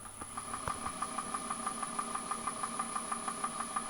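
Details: Axminster AT406WL (formerly AT1628VS) lathe running, microphone moved close: steady even knock about three times a second from a worn spindle bearing, confirmed by running the motor with the belt off.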